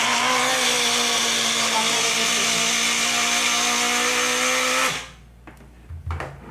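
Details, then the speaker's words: Taiff hair dryer running with a loud, rough high whir and rattly buzz, sparking inside, until switched off; the motor shaft wobbles in a worn bushing. "Hoje eu vou voltar aqui a mexer com o secador, que é esse aqui que tá com um barulho muito esquisito, tá saindo até faísca de fogo aqui dentro, ó."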